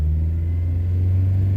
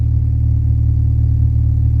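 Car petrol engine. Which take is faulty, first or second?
first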